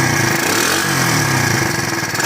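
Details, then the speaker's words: KC pit bike from Pep Boys, air-cooled two-stroke, first run after sitting 3+ years, started cold on choke at about 40°F: steady, busy buzz holding even speed without misses or surging; normal running. "sounds like it's running. Let it run and see what happens. Sounds like it's doing pretty good."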